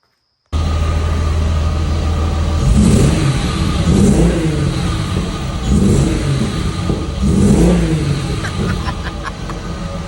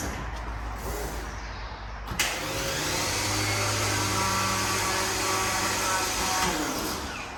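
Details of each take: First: VR6-engined Cali MK1 VW, first runs after fixing no-crank (battery swapped for correct cold-cranking amps); four clean throttle blips rising and falling smoothly, no misses or knocks; engine runs strong, normal revving. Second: VW Mk1 Cabriolet with VR6 swap: steady electric whir about four seconds, no cranking or firing; starter engaging but not turning the engine, blamed on a wrong battery with too-low cold cranking amps.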